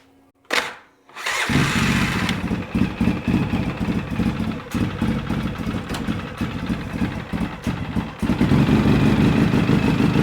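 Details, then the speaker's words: Polaris Sportsman 700 ATV after new starter and bendix fitted: one short crank engages at once with no free-spin whir, engine fires into a lumpy, steady idle; battery suspected slightly weak. "well it did but I suspect our battery is a little bit weak but if you notice it didn't spin it just connected"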